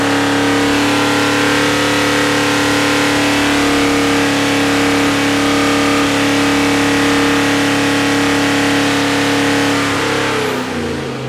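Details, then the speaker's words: Rebuilt big-block Mopar 483 stroker for a Dodge Power Wagon after repinning the intermediate shaft and fitting a new distributor, timing stable at 4,000 rpm: strong even V8 at high revs, no misfire or knock; normal revving. "that sounded really good"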